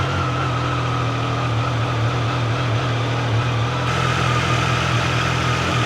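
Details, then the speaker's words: Second Triumph Tiger 800 Sport after first service, compared for cam noise: steady even idle with smooth low throb, no knocks, ticks or uneven beats; judged the same as the other bike, normal idle. "But I think it's perfectly normal. >> I think they're both the same."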